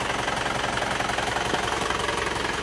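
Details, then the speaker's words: Panther pickup diesel started cold at 35 °C engine temperature, already smoking: steady heavy rattling clatter with even pulsing at idle; compression leakage from suspected piston ring and/or cylinder liner wear, engine to be pulled for inspection. "Jadi mobil ini akan kita turunkan dan akan kita lihat penyebabnya itu bagaimana dari apa. Apakah linernya, apakah ringkernya apakah dua-duanya"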